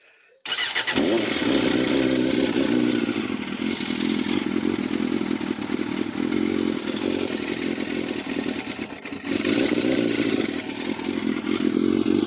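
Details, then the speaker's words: Yamaha FZR 600, restricted to 47 hp, cold start on choke before de-restriction: catches at once and settles into a steady, slightly lumpy fast idle with even firing; normal cold idle. "Right, first of all, let's get it started up so you can hear it. This is from a cold start. So got the choke on."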